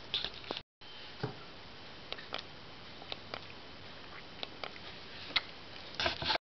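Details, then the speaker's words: Harley Sportster inlet manifold pressure (MAP) sensor tested by sucking on its vacuum tube in a quiet room: faint, irregular mechanical clicks, so the sensor works. The bike's fault turned out to be the carburetor. "and what I'm going to do is just suck on the end of this tube here, and you'll hear it clicking, and from here it clicking mechanically, it seems like it works."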